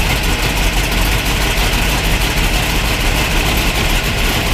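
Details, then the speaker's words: 1973 Plymouth Cuda 340 small block, unrun for about 20 years, after the oil pressure line was replaced. It previously started only on starting fluid and wouldn't stay running, with low fuel pressure suspected. Starting on gas alone gives a loud, loping, irregular roar; the carb may need adjusting. "so the goal right now is to see if we can get her to start with just on gas no not using any starting fluid"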